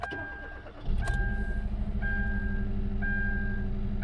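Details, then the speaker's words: Kia Rio (initially called a Forte), customer complaint of shaking, lack of power, misfire despite coils apparently replaced elsewhere: cranks, catches, then lumpy uneven idle stumbling about once a second, flashing check engine light; misfire from cracked spark plug insulators; owner suspects piston ring problems. "hear it oh it's Shake it's misfiring big time"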